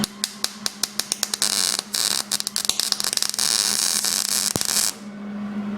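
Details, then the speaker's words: MIG welding sheet metal on a 1967 Mustang inner fender well: irregular sharp pops, crackles and spits instead of a steady sizzle, the arc unstable because the torch is held too far from the work. "see how crackled and everything it just went all just sounded like hell"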